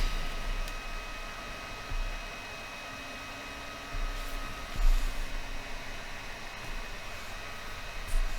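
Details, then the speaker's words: Old Packard Bell ST85M laptop, freshly reconditioned, runs hot to the touch: steady airy rush with a thin constant whine as the fan stays at full speed from overheating. "l'objectif ici c'est de voir si on peut régler ce problème de surchauffe pour pas que ça turbine comme ça constamment"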